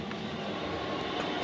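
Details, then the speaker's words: Vanagon 5 kW diesel air heater, floor-mounted install for Alaska winters, at full blast drawing 3.7 A, rated 17,000 BTU; steady even combustion-fan roar, no surging, popping or ticking: running normally at maximum output. "Alright, that is full blast. It's as high as this little thing goes. And it's currently pulling 3.7 amp hours."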